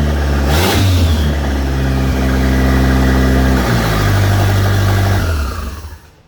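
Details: 1989 Dodge Daytona 2.2 turbo conversion, after plugging an open hole: clean start, revs then a steady, even idle with a light turbo spool whoosh; healthy.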